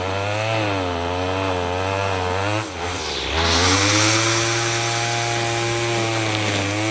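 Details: Troy-Bilt TB22EC two-stroke string trimmer, after replacing an old primer bulb to fix a no-start from sitting: steady high buzz, brief dip and recovery under cutting load; running smoothly.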